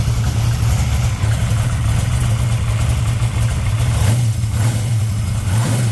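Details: 1964 Dodge Dart gasser V8, cold (~40°F) first run after replacement rocker arms were fitted, with lash at a loose 0.017 in cold. A lumpy, even idle with only a faint tick and little rattle is heard. Normal idle.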